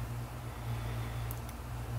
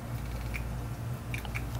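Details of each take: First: Seagate 7200.12 750GB hard drive, a parts drive, powered up and imaging before a platter-alignment demonstration; quiet, steady low spin hum with a couple of light ticks, no clicking or grinding. Normal running. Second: Hard drive powered up after center hub loosened and platter barely rotated: steady low spindle hum with sharp irregular clicks; platter misalignment stops the drive from reading, heads untouched.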